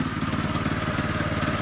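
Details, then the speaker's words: Monster Moto 80 minibike, rebuilt with a brand-new Predator 212 engine on its first run, rear wheel in the air: after the chain came off, a quick even metallic clatter of the clutch sprocket striking the metal housing; not the motor. "So what's making the noise now? It's this part right here clanking against the metal part."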